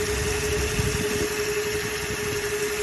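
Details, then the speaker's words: Toyota Hilux 2.7 L 3RZ-FE gasoline engine with the idle screw turned down to about 600 rpm: low, lumpy idle with an uneven shake under a steady hum, near stalling, shaking worse in Drive; idle speed set too low. "I'm gonna idle it up just to show you that it shakes you could hear the motors like it's the titles way too low and it's shaking too it's starting to shake a little bit"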